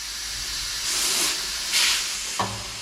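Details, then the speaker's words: 1964 VW Beetle leaky tubeless rim being fitted with an inner tube, inflated with the valve core out: short hissy bursts come and go; it's trapped air escaping between tyre and inner tube, not a leak. "now if you can hear air leaking out that's actually air that's trapped between the tire and the inner tube so you think it's actually leaking but it's not it's just the air escaping"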